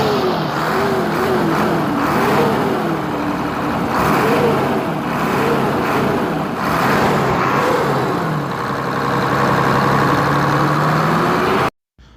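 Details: Hino J08C diesel truck engine after repair for a piston/cylinder fault, fully refitted: it rises and falls smoothly through several throttle blips with a steady, even note and no knocks or rattles, running healthy.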